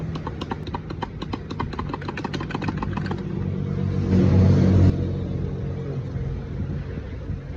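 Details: Motorcycle engine at idle with light, even tapping about four times a second that fades out after three seconds; a top-end tick of unknown cause.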